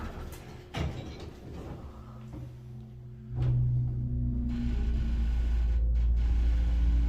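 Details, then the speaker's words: Burlington-original Epco CircleLine hydraulic elevator, possibly Mainco, serving LL, ML and UL, car travelling up: heavy low drone with groaning hum tones, much rougher and worse than before; abnormal, unhealthy running noise. "Wow. Why does it sound like that? That's not right. That is very unhealthy for a hydraulic."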